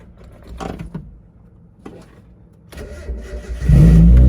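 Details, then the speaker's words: Mazda Miata started after sitting a very long time: cranks, catches quickly and settles into a strong, even low rumble; clean cold start, "purrs like a kitten." "Oh yeah, purrs like a kitten."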